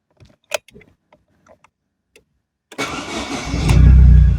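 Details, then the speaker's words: Suzuki Fun (Opel) that won't drive and makes a strange noise (owner unsure if clutch, gearbox, axle or CV joint): started with clutch fully depressed, cranks and settles into smooth idle with no noise; noise returns when clutch is released. "el ruido eh dentro de todo no lo hace pero ahora si lo suelto a ver si se suena acá"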